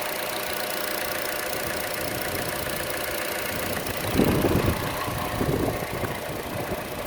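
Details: Chevrolet Cruze at idle, camera moved around the engine: quick light tick about four a second, uneven and partly masked, louder than normal engine tick, most noticeable on the belt side; cause unknown.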